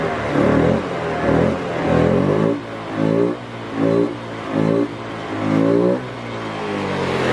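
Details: Honda Beat FI scooter that was sputtering, blipped with the EOT engine oil temperature sensor unplugged (warning light blinking): each rev is smooth and even with no stumble; the faulty EOT sensor caused the sputter.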